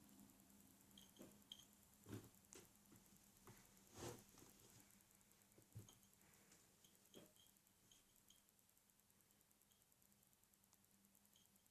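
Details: Acer S3-392G laptop, second replacement unit: faint light ticking from the hard drive side about every two seconds, hard drive seek clicking the owner calls loud though the store deemed it acceptable.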